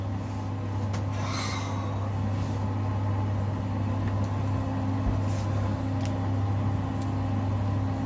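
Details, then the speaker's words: 5 kg Simpson clothes dryer from the dump after replacing the bungy belt at the rear: steady even motor hum, drum turning smoothly, air flowing, no slapping, squeal or rubbing; fixed, running normally. "All fixed. I can feel the air hitting my face as we speak."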